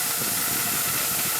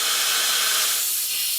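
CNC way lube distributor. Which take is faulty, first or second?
first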